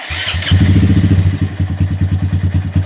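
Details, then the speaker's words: 2020 Honda Grom 125cc after dashboard, ECU and throttle position sensor resets, fixing rough idle and misfire: brief start burst then slow, even idle of about eight pulses a second, rpm dipping toward 1000 before 1200 target; now great. "So you'll see how it works with mine, whether that will drop to 1000 or will be okay. But it was bad before and now it's great."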